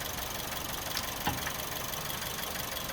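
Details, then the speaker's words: Suzuki Swift restarted with a suspect spring-loaded, possibly EGR-type part in question; idle choppy, uneven, stumbling and hunting over a hissy background, cutting out: rough-running misfire, cause unclear. "let's start it up again it's gone oh she ain't liking that yeah she ain't liking that at all"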